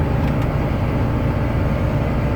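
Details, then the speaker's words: Combine diesel engine running after an oil change, once the brief low oil pressure warning has cleared: deep, even rumble at steady speed, no knocks or misses — normal running. "There, it was beeping at me for engine oil pressure there for a little bit, but we got her now."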